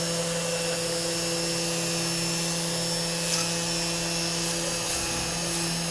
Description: CNC machine running Mach3. 3 weeks of chasing a noise problem, solved with an Opto isolated breakout board fron cnc4you.co.uk.